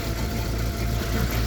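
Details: Engine with fault code 100.4 and a power-loss complaint: low, slightly uneven idle with small dips; rough running, the oxygen sensor stuck at 1.0 and fuel trim not responding to added air, so the sensor is suspected.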